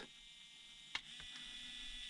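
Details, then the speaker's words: Hobby Plus CR-18P Trail Hunter RC crawler ESC after program-mode setting on its radio; thin high motor whine holds steady with no pause, motor changes direction but no neutral zero point can be found. "change direction now I cannot find a zero point change speed foreign I played around forever it doesn't work just change direction but no zero"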